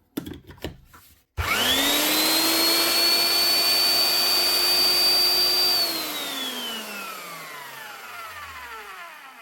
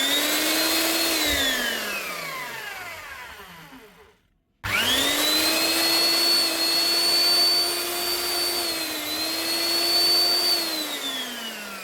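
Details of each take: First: Eibenstock drill after fitting new lead and plug: motor spins up to steady high whine, holds evenly, winds down smoothly after switch-off; healthy running, no roughness or grinding. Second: Eibenstock 1700 W diamond core drill reported not running: motor whines up, cuts out completely, kicks back in and runs down; start-stop traced to a broken power lead at the non-locking plug, lead and plug replaced.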